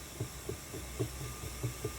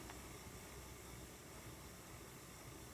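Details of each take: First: Ashford E-Spinner 3 spinning wheel running: soft low "whomp" thumps about four per second over a quiet motor hum. The suspected causes are brake cord tension slipping and the bobbin travelling back and forth. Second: Ashford E-Spinner 3 spinning wheel after the whomp fix, a felt washer filling the gap between bobbin and motor plus waxed cotton thread: soft steady hiss and low hum, no bobbin knocking, running normally.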